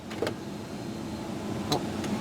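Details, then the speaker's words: 1997 Ford Expedition Eddie Bauer AWD, right rear power window switched on. A faint electric whir runs for a couple of seconds with no glass movement. The motor works but the window regulator is apparently disconnected. "can hear the motor working in the right rear window but apparently the regulator is disconnected"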